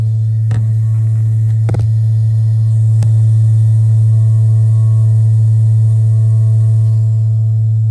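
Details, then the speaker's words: Gas-fired water heater tank giving a deep, steady moaning rumble with a few knocks as it fires, the sound coming from the tank rather than the flame; vent possibly partly plugged, corroded flue leaking exhaust back, unit to be replaced. "i had to tape record this because i've never heard i never heard a gas-fired water heater make this sound before"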